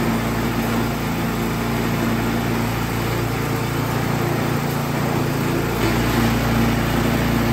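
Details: Troy-Bilt Storm 2665 snowblower that sat all summer with gas in it and would not start. After repair and reassembly, its small single-cylinder engine hums at steady speed with an even beat, no surging or misses. Runs healthy.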